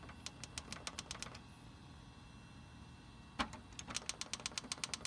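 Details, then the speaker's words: Dell Dimension B110 (1100) optical drive tray won't open, making quick light ticking bursts, about eight a second with pauses; owner suspects a bad belt or motor. "Now that one doesn't want to open. It's making like a beeping sound. Maybe it has like a bad... Maybe it has a bad belt."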